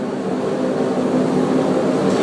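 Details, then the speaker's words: Hackett Mills turbine on its first spin after a rebuild, December 2013, not online, at about 20% speed with oil pressure up. A low rushing hum slowly builds as it picks up speed, even and free of knocks; it is turning over normally. "so pit Mills spinning in the circle first time December 2013"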